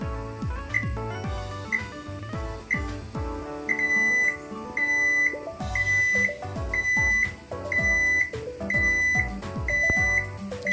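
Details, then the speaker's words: AEG gas hob timer finishing its countdown: short high beeps about once a second over background music; a reminder alarm only, the flame stays lit, working normally. "The flame will still be lit, but it's just the sound you will hear. No switching off of the flame."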